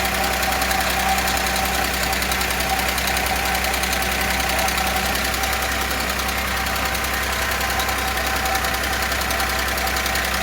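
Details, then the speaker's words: Audi A6 restarted after reassembly following loud knocking and condensate under the cover: fast light ticking, three to four per second, over steady idle; hydraulic lifters refilling, quieter than before and gradually fading, possibly damaged by oil starvation. "Пока стук есть, какой-то свист появился. Сейчас должны компенсаторы очень долго могут прокачиваться, блядь."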